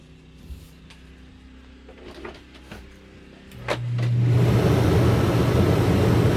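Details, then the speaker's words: Generator rated 3200 W starting / 2900 W running, regular (not eco) mode, starting a 15,000 BTU A/C after a Dometic hard start capacitor was installed (it previously tripped the surge protector); quiet, then a thump and a steady hum without stalling, cold air produced. "we'll hit the generator kick a little bit i'm getting cold air"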